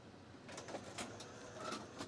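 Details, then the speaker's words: BetacamSP UVW-series deck during the manual emergency eject of a stuck Maxell tape, whose defective leader has glued itself to the supply spool: a quiet motor whirs in short bursts with light clicks as it fully unlaces the tape normally before eject. "shall we unthread automatically yes and it will make sure that it's fully unlaced and this takes some time"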